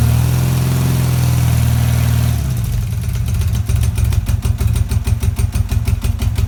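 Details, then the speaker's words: BMW R80 cafe racer boxer twin, first start-up after rebuild on old battery; drops from a fast run to an even, loping idle about three pulses a second, quiet and clean through original-sounding exhausts; normal healthy idle. "as you can see as you can see is a runner fantastic it sounds sweet"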